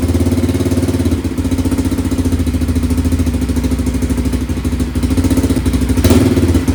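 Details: Bombardier DS650 quad single-cylinder after top-end rebuild (high-compression forged piston, new/used head, new cams, gaskets, carb work): loud, even thumping at steady idle with a brief throttle blip, no misfires or knocking. The engine runs healthy.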